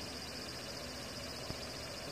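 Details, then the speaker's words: Xbox One with the game paused: a steady airy internal cooling fan hiss with a faint high chirping, croaking edge and a click. It began a few days ago; the console used to be quiet. "it's making this sound right now you hear that weird sound the fan is making inside yep it's been doing that for a couple days now"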